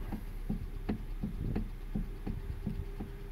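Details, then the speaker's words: 2012 Hyundai Elantra, engine running: dull knocks about two and a half per second, nine in a row, clunking through the steering; worn steering coupler suspected. "so then what it is is gonna be the steering copper they call it"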